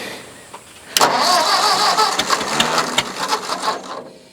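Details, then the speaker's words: Old Ford tractor, thought to be an 8N, started with ether: uneven cranking chuffs about three to four a second with odd firing pops that never catch; cranks but won't start, carburetor suspected, starter also kicks out. "Burning off some of that ether. Don't sound like. That sounds worse, don't it?"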